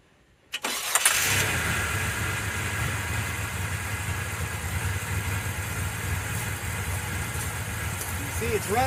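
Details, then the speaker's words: 1990 Mitsubishi Montero, plugs fouled again and blowing rich black smoke: starts, then settles into an uneven, lumpy idle with irregular stumbles; spark tester flashes inconsistently, some plugs showing no spark; misfire, cause unresolved. "I don't know if you can see that but it's flashing. every once in a while. Not consistent in any way, shape, or form. Some of the plugs, it just doesn't do anything at all."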